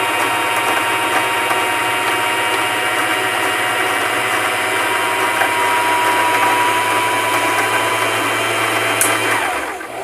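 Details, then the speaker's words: Singer Simple 3232 sewing machine winding a bobbin under foot pedal: even high-speed whir for nearly ten seconds, then clicking and lagging as the full bobbin touches the rubber disc; normal. "you'll actually hear it clicking a bit and it's gonna start like lagging on the turn and now you know your bobbin is full"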